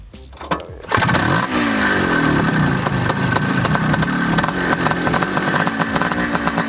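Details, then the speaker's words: 1979 Honda Odyssey FL250 two-stroke after full rebuild with newly machined cylinder wall and DG expansion pipe, choke on: catches after a few cranks, then a crisp, steady buzz rising cleanly with throttle; healthy start and run. "Sounds sick. Dang, guys. That DG pipe sounds good."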